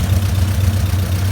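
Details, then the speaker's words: Honda CRX B17 engine after jumping timing at VTEC crossover, idling: low uneven idle with faint loping miss; rough idle, owner suspects bent valves, compression test pending. "I don't know if you guys can hear it but you do hear just like kind of miss and it's just running weird"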